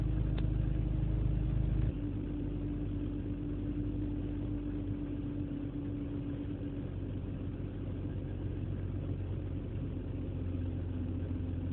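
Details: BMW E46 petrol engine idling cold on a cold morning: slightly uneven, lumpy beat to the low rumble, a misfire whose cause is not yet found.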